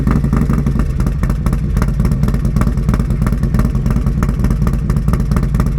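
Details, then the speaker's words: 2024 Harley-Davidson Road Glide M8 with new .520 lift cam and ThunderMax tuner, first start; even lopey V-twin idle drifting up and down as ThunderMax O2 sensors adjust fuel trims, no knock or rattle, normal lumpy cam idle. "as you guys can hear the bike is changing its idle up and down that's because of the thundermax the thundermax uses O2 sensors to adjust the fuel trims"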